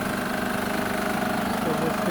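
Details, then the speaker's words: 2007 Honda Pilot engine idling: fast, steady metallic rattle over even idle; timing belt tensioner moving up and down too much suspected. "Okay, let's fire up and see. You can hear the rattle."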